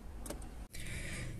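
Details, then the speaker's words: Chevrolet Aveo 1.6 E-TEC II, engine off, ignition on: a faint, steady hum as the new fuel pump is activated by scan tool and primes normally. "no se dan cuenta ya se oye la bomba ya la desactivamos"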